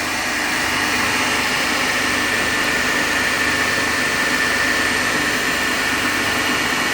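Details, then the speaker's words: Three-phase induction motor coupled to a DC compound machine, running balanced on 230 V with no load at about 1484 rpm; each phase draws about 3.5 A, W1 and W2 read about 100. Steady hum, airy fan rush, faint whine: normal no-load running. "Ammeter 2 same 3.5. Ammeter 3 3.5. As we actually readings are same in each every phase because it is balance condition."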